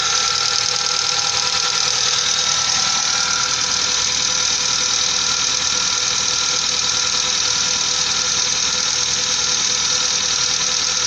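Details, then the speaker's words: 1998 Mazda 626 petrol engine idling: fast light metallic tapping from worn hydraulic lifters, unchanged after an attempted DIY fix of the lifters. "как стчали так и стчат даже даже Ничего не изменилося"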